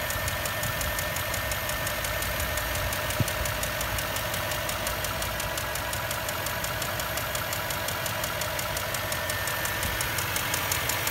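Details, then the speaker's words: Land Rover Discovery 3 4.4 V8 petrol, complaint of lifter-like ticking at idle: sharp rapid ticking over smooth idle; cause was a spark plug whose inner insulator had fully separated, not hydraulic lifters. "клиент обратился жалобой на низ настолько в моторе цокающие похож на гидрокомпенсатора при откручивании свечей зажигания для осмотра цилиндров был обнаружен что внутренний изолятор полностью изолятора отделился"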